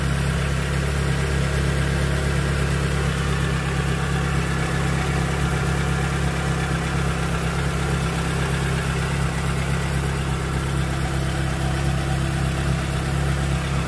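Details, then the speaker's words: Proton Wira that stuttered and hesitated once hot, after fixing the faulty ignition coil. Steady, even idle hum with a stable RPM needle and no shaking, misses or surging; the engine runs smoothly. "Okey. Alright. Enjin stabil. dia punya RPM jarum RPM cantik."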